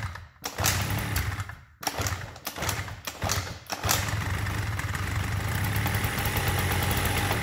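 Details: Honda Dio 34 scooter being repaired after it would not start: a few cranks and sputters, then the engine catches and settles into an even, steady idle with no knocks. Normal idle.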